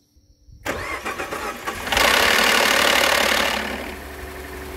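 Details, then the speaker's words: 2013 Ford F-150 3.5 EcoBoost, first start after cranking to prime oil: engine catches with a sharp metallic rattle over the first seconds, then settles; start-up rattle, cam phaser suspected, not confirmed. "that sounded very weird kind of like a cam phaser which is not going to be good if it is"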